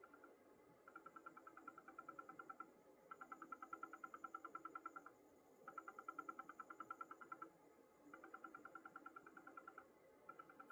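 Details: Gigabyte UD1000GM Rev. 1.0 PSU under load (4K YouTube video or intensive graphics card use), occurring for over a year: a fast buzzy rattle in bursts of about two seconds.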